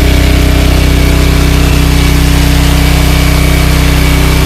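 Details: ETQ portable diesel generator after an oil change: steady, even diesel clatter at constant speed, quieter and less mechanical than before, no surging or knocking; normal running.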